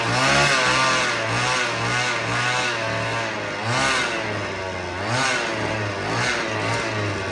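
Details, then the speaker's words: Vintage black-top Husqvarna 50 chainsaw (50cc), unrun about 15 years, 80 PSI compression, likely stuck or weak rings: thin, wavering buzz around 3100 rpm with no crisp bite; compression improving but still too low for real cutting. "The compression's getting a little bit better, but you know, nothing that we're going to go put out in the wood."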